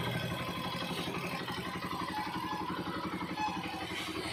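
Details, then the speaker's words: Honda TMX 125 single after carburetor cleaning, spark plug, ignition coil and CDI already replaced; steady even idle with no stumbling or stalling, previous misfire and dying on throttle release gone. Normal idle. "guys tanggal po yung ah pagkapal niya yan kanina hindi mo mabitawan ung gas kapag gagas mo naman namamalas siya tapos pag binitawan mo ung silinyador namamatay y diretso na siya ngayon yan guys"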